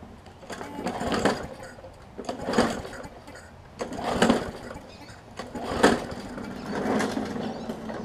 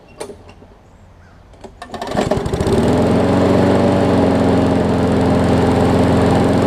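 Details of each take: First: Newer Murray push mower with water in the gas tank and carburetor and oil contaminated with water, started on concrete after carb cleaner: fires in ragged bursts, fading between, never settling, water coming out of exhaust; sputtering from water-contaminated fuel. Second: Newer Murray push mower, after shortening the governor spring: fires after a couple of pulls and settles into an even, steady drone with no hunting or surging, normal running.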